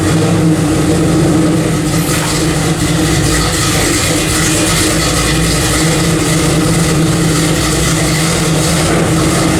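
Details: 1995 Chevy 4x4 with a brand-new freshly built motor, first fire-up after fitting new dual exhaust: loud, deep, steady exhaust rumble with a strong low throb and even running; sounds healthy.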